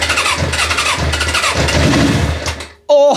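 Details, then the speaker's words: Suzuki GSX-R parked about ten years, cranking with easy-start spray: starter churns with uneven chuffing pulses, engine tries to fire, nearly catches, then goes quiet after a sharp burst. "is so close nearly yes get in there yes check that out"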